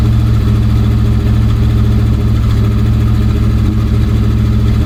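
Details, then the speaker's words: 1965 Dodge van that sat for years, running on old varnished fuel with the bowl refilled by hand and an added manual fuel pressure regulator set to max: a steady, even, deep idle with no misses or knocks, though it smoked heavily. "Fill up the bowl again. It seems to run pretty decent."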